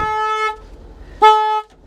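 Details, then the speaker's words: Flood- and hail-damaged Mercedes at a salvage auction: two sharp horn blasts about a second apart at steady pitch, as the alarm trips as soon as the battery is connected. The key won't turn; it may have been a theft car. "like the uh the alarm goes off as soon soon as you turn or as soon as you turn that battery on this thing just starts going crazy at you"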